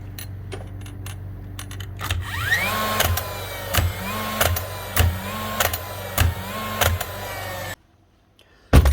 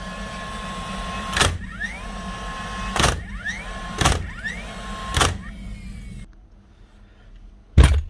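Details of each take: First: Dewalt DCN692 first-fix nail gun: flywheel motor whirs up, then sharp clicks about every 0.6 s with no nail driven; the dreaded click points to trigger, driving pin or springs inside. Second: Dewalt DCN692 nail gun after replacing broken springs that caused clicking and no firing: four sharp, clean shots about a second apart, each with a short motor whir, no stray clicking; firing properly.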